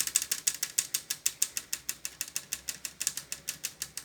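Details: Consul inverter 7000 BTU air conditioner indoor unit, newly wall-mounted: sharp dry ratchet-like clicks about three a second; a panel screw had come loose and the panel was not held in place.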